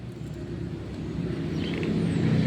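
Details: Euro Motor Griffin 180i scooter after fixing a no-start with only tick sounds, caused by a corroded, moisture-damaged pin in the rectifier/charger socket: low engine hum builds smoothly with no ticking or stumbling; runs normally.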